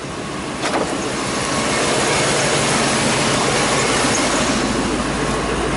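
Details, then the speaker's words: 1999 Ford F250 5.4L V8 after replacing the faulty EGR valve, fixing surging rough idle: steady, even idle with no misfires, surges or shaking, fuel trims recovering; normal idle. "this is how it V supposed to sound very nice nice and even no misfires no shaking at [Music] all"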